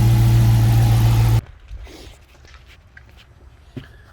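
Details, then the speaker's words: 2018 Dodge Charger RT with serpentine belt removed to diagnose a rhythmic front-end rattle: steady even engine hum, no rattle or tick; noise gone, pointing to belt-driven pulleys, later found to be a worn water pump with shaft play. "so now i'm gonna start up the engine remove these tools right so as as i suspected it is something to do with the with this serpentine belt area as you can see there is no noise perfect"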